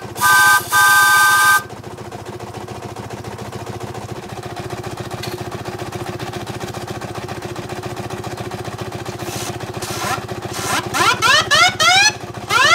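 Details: 4.5-inch scale model showman's traction engine in steam, first run of the year, near 110 psi working pressure: even, quick chuffing with whistle toots at the start and end; safety valve popping; running smoothly.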